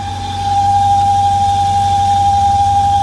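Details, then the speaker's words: 1998 BMW V8 that whistles after starting once it reaches operating temperature: a steady, high, pure whistle over a smooth idle, diagnosed as a failed PCV valve. "aparte del sonido que hace ya con la experiencia que uno obtiene puede decir que es la válvula pcv"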